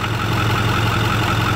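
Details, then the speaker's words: Ford 6.4 Powerstroke diesel truck at steady idle, heard at the open oil filler: a rhythmic puffing chuff pulsing evenly with engine speed shows a little crankcase blow-by, found during a stud upgrade rather than the reason for the visit. "So we do know that we have a little bit of blow-by, and this is actually not the reason why this truck came in here."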